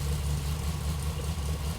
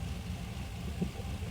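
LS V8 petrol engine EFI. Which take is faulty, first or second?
first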